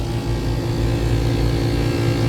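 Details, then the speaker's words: AC unit compressor restarted after tripped breaker, 3-phase 209 V: heavy rough droning hum with uneven churning rumble, sounds like running backwards; contactor found burnt and not pulling in, compressor worn and labouring. "That sounds like it's like going backwards or something. Something's not right."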